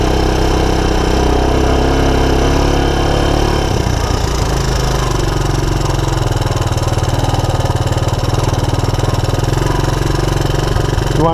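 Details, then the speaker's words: 1984 Honda ATC200ES Big Red with no-spark OEM ignition replaced by 12V DC CDI, key-started a little cold: single-cylinder settles from fast cold-start chug to steady even idle, no misfires, still warming up; normal cold idle. "so whether your all-terrain vehicle is 40 days old or 40 years old this is where you want to be you want it to key start it's a little cold"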